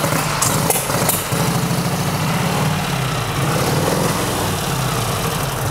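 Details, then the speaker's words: Junkyard Harley WLA V-twin, all original after being parked 25 years, only the carburetor rebuilt, engine never opened: settles into a steady, loping idle with an even beat, no knocks or misses; healthy. "That sounds so good too. It really does, and again, it's like, we really didn't do anything. We haven't been into the motor."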